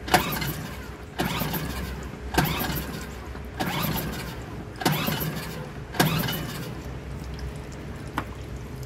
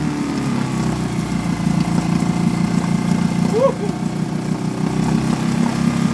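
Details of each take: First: Suzuki DF2.5 2.5 HP outboard, long stored: repeated pull-starts about once a second, each catching briefly then dying, after fuel poured in; starting this way shows a fuel, not electrical, fault: carburetor not feeding fuel, problem between carburetor and fuel pump. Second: Suzuki DF2.5 2.5 HP outboard, long stored and not starting, after fuel tap and tank vent opened: steady, even putter, no stumbling or dying; idles healthily.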